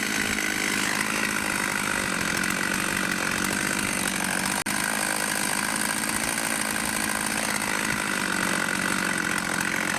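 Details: Vintage 1989 Husqvarna 50 two-stroke chainsaw, sat years with old gas, after carb clean and tune-up: steady, even high-rev buzz with no stumbling or surging throughout; normal running.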